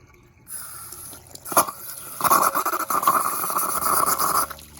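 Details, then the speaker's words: Suburban SW6D DSI LP-gas RV water heater after drain, flush, anode rod change and a new 150 psi/210°F temperature-pressure relief valve. Once the pump stops with the tank full, water gushes and gurgles from the relief valve with no leaks. Normal relief valve discharge. "we got water coming out now. And no leaks."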